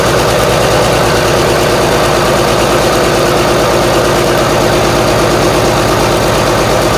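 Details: Marmon 57P Aero truck, newly installed diesel engine at first start after fueling injectors: heavy idle with uneven, lumpy beat under the clatter; sounds like it's missing on a cylinder or two, cause unconfirmed.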